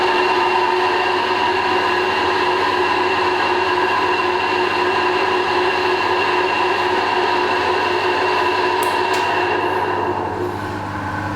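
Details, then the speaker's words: Combination vertical/horizontal milling machine, horizontal spindle running: loud steady whine with rough rumble, about 82 dB in every gear versus 60 dBA ambient; suspected motor bearing. "Okay, so no matter what gear I change on this thing, it is still very, very noisy."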